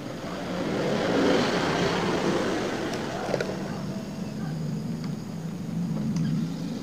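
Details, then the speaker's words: Older Honda Scoopy FI scooter that stalled when throttled under load, after injector and throttle body service and idle adjustment, no sensor errors; light, free-revving engine picks up cleanly, idle now stable; normal revving. "Tarikannya udah enteng banget. Udah mantap. Langsamnya juga udah stabil."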